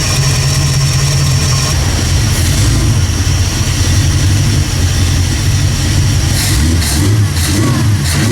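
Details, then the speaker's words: 1979 AMC Spirit AMX 304 V8 with Brawler carb, warmed-up dyno pull after correcting the shrinking throttle-cable casing for full throttle opening: deep roar with brief stumble as throttle opens; lean tip-in, needs more accelerator pump shot. "little lean tip in so I need more pump shot"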